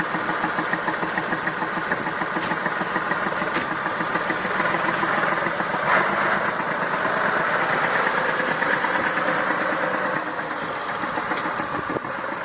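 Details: Massey Ferguson 2645 tractor, Perkins 6-cylinder diesel, owner claims rebuilt 100 hours ago: lumpy, uneven idle chuff roughly two pulses a second, one weak cylinder; suspected leaking exhaust valve, low compression, lack of power, unconfirmed.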